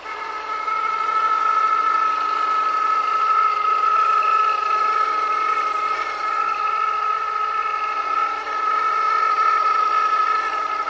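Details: Honda S2000 engine bay with the engine running. A steady high whir with a rough, grinding edge that rises in pitch with rpm. Suspected serpentine belt related, but it stayed noisy after replacing the auto tensioner and pulley.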